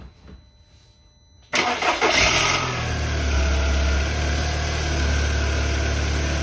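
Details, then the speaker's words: 2005 VW Beetle (P0455 gross EVAP leak) after replacing faulty fuel pump and its faulty gasket: short crank, catches and settles into steady even idle; fuel pressure in spec, runs better, still rich. "spec definitely run this better still rich this fuel pump is definitely doing what it's supposed to do"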